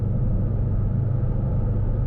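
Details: Low-mileage 1984 Austin Mini (Lucas 45D distributor, SU HS4 carburettor) after distributor service and carb update, cruising on the motorway: a deep, even engine drone with no misses or knocks, pulling smoothly. Normal motorway cruise.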